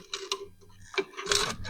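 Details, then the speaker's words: Bullfrog Series X7 hot tub pump not working, motor opened and shaft turned by hand: short bursts of dry gritty crunching, impeller spins stiffer than it should; seized pump motor bearing. "Sounds pretty crunchy in there."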